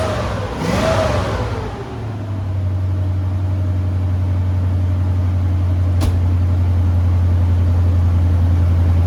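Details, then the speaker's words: 1970 Ford Maverick with EFI-swapped stock 5.0L V8 and new Flow Monster mufflers, no headers, fires with a brief rev then deep even idle, belt squeal gone after tightening with a nut; cold weather. "right now with the nut up under it it's already tight enough so it's not squeaking anymore"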